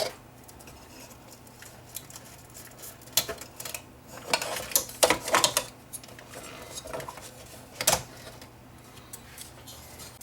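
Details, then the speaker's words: Yamaha CDC745 CD player sled mechanism turned slowly by hand: irregular light ticks, catching at one point where it sticks; cracked sled motor gear. "turn this by hand you'll hear it going tick tick tick tick that's bad"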